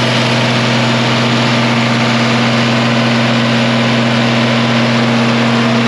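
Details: 1966 IH 1206 Wheatland diesel tractor on dyno after head gasket repair, coolant warm at 160–170°F; full throttle about 75% load; loud steady drone with constant tone, no knocking or misfire; normal partial-load running.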